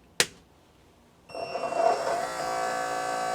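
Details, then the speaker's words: MB electric hydraulic power steering pump on a budget time attack Honda Civic, three-wire with 80 amp breaker, triggered by an ignition-powered switch: switch click, then a steady, even electric whine at constant pitch; normal pump operation. "there we go the pump's running and if i turn the key off without turning the switch off it turns it off as well"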